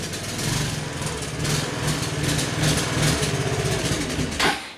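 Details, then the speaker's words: Honda Helix CN250 250cc scooter, salvage purchase, cold morning, old dark fuel drained: runs rough with wavering uneven revs, then bogs and quits when throttle is given; poor running on stale fuel. "hey that sounds better as soon as I give it throttle though it doesn't want to keep going"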